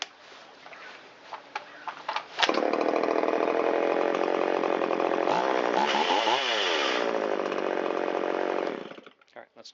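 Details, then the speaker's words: Long-stored Shindaiwa 360 chainsaw with a Walbro WT-89 carburetor, low-speed mixture leaned by quarter turns: fires into a steady buzzing idle, and RPM rises as it comes off rich. It revs cleanly; normal running. "Wow, it likes that. We can hear the RPM come up a little bit."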